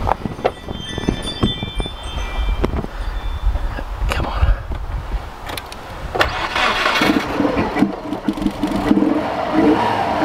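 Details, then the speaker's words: 2000 Subaru WRX GC8 barn find, unstarted for 11 years: engine catches and runs roughly a few seconds on residual manifold fuel, then fades out; oil pressure up, no slapping; fuel pump suspected dead. "I think that was basically just the fuel that was in the in the manifold sounds good and that's got all the oil pressure up"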